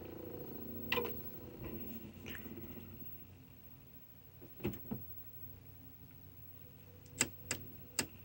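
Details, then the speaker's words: Toshiba SD-V296 VCR/DVD combo loading an audio CD: quiet background with sharp isolated clicks a few seconds apart, then three in quick succession, as the drive struggles to read the disc before showing a disc error. "hear that clicking you know that clicking is a sign that has a higher chance of working again heals three clicks just takes forever to work"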